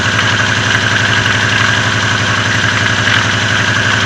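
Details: Lada Oka engine knocking at low revs: a steady low knock about twice a second under a loud idle. It has been present a long time, is growing louder and disappears with more revs. Valve clearances are normal. Cause unknown.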